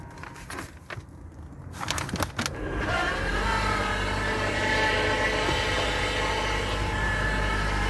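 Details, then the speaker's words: Ford C-Max hybrid: once the gas engine starts, a thin, steady whine rides over the hum, stopping when the engine cuts off; believed to be a failing transaxle, a common noise. "that that's a transmission noise I think I'm going to make this video to um help people figure out what's going on with their car it's a common noise"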